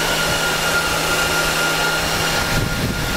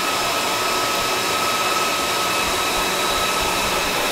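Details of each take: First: Dell PowerEdge 2950 II server after a change such as swapped RAM: loud steady rushing whir with a constant high whine, fans pinned at full speed during the self-check with LED indicators blue, then slowly ramping down. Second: Dell PowerEdge 2950 II server at normal fan speed in a warm room of about 20–25 °C, steady even rushing air with a faint whine, after ramping down from full speed following its self-check.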